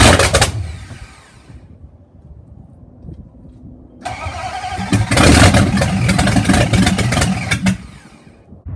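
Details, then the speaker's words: Car engine's first start in three and a half years with a brand new starter, ignition timing as the shop claims to have set it, before camshaft break-in; brief crank, pause, then catches into a lumpy but steady run; normal start. "now we know it fires up and works and now we're gonna break in the camshaft"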